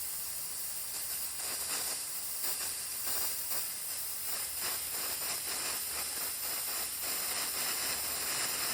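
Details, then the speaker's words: Mr Heater Fuel Keg refilling a 1 lb propane bottle from a 20 lb cylinder; steady, even high hiss of gas from the bleed valve, no sputter, means the bottle is full. "So you hear that noise now? So now you know when it's full. When that a steady stream"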